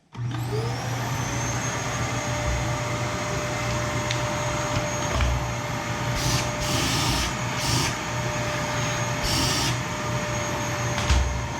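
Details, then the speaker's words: Dyson DC39 vacuum, about 6 years old with gradual suction loss, after dismantling and deep-cleaning down to the motor: steady smooth motor roar with clean high whine, much quieter than before; the stuck valve or flap no longer engages, and suction is possibly only slightly improved. "So it's certainly a lot quieter than it was. I kind of forgot about how quiet the Dyson was when we first got it."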